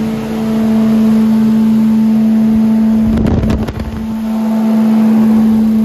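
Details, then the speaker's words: Billy Goat leaf vacuum running after an impeller/fan replacement, service and a new pull cord: steady, even engine drone with a constant fan tone and a brief dip midway, with no scraping or knocking; the fan isn't hitting. "okay sounds good well that's how you change fan or impeller whatever you want to call it on a billy goat lead that"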